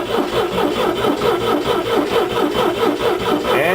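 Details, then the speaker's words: International Scout with choke pulled and fuel present: starter grinds engine steadily about two turns a second but it dies once the key leaves start; no ignition feed in run position, wire off the solenoid dead. "found out I would crank it I was getting fuel up and it will die as soon as I let off the starter so whatever wire that runs off of the fucking solenoid or some bullshit was dead"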